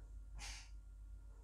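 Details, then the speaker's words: Mercedes W220 S320 Airmatic, diagnostic active test lowering front: brief soft hiss of air escaping via the valve body on top of the compressor, then quiet; valve venting normally. "and i can hear that air escape now you are basically also testing the valve body which is on top of the compressor because you need to apply that air pressure only on one wheel so that valve body needs to work"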